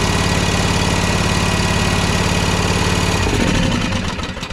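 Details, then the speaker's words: Toro TimeCutter SS5000 zero-turn mower that bogs and dies when the PTO is engaged, run on one cylinder with the other plug unplugged to test it: uneven, lopey chugging with a missing beat, then it dies away; running on one cylinder. "So that was just running on this side. I've got the other one here unplugged, so we know that we've got good function on that other side again."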